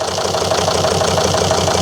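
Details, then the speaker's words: 2003 Volvo XC90 D5 diesel after only 224 miles, running on four cylinders, idling during injector leak-off test; lumpy uneven beat over the clatter; cylinder 4 fills with diesel at once, pointing to a leaking injector misfire. "It's not the best starts. And we'll see what winds up in the tanks with a Misfire, I think, to start with."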